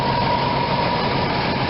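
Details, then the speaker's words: RV V8 engine at 54,000 miles after new plugs and silicone wires, cylinder 8 boot refitted (was arcing on air cleaner, causing clicking): smooth, steady idle, no clicks, misses or snapping. "to hear the engine running real smooth it's only got 54,000 miles on her"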